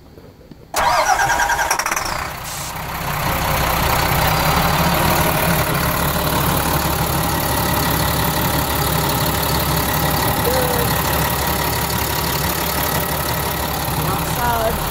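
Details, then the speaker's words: RV Caterpillar C7 diesel after water pump replacement and coolant refill: brief crank, quick catch, then even steady idle with no knocks, misses or squeals; warms to 188–190 instead of the previous 225, healthy. "it sounds good cuz you know water get from nowhere and it's a good sign"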